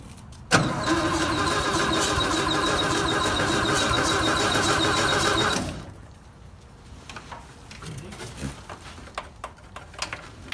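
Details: 1958 VW panel bus sitting 50 years, starter replaced, points cleaned, spark restored, crudely wired start attempt: about five seconds of steady even cranking that never fires; cranks but won't start, cause not confirmed.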